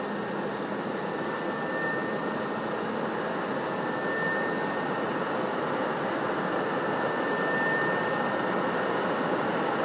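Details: PS4 CUH-1216A (CUH-1200, C-chassis) running Witcher 3, horizontal, 15 cm from the wall, peak about 63 dB: steady loud rushing air with a faint constant whistle, unchanged over ten seconds; loud cooling fan under load.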